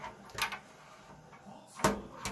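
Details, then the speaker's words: Miele T9800 vented tumble dryer motor turned slowly; the carbon brushes are worn so far that the middle rides on the plastic and strikes it each revolution, giving hollow clunks, before brush replacement. "They've worn down. What's happening now is it's starting to hit on here, and as it goes around, you can hear it go clunk, clunk, clunk. Every time it goes around, that thing hits it."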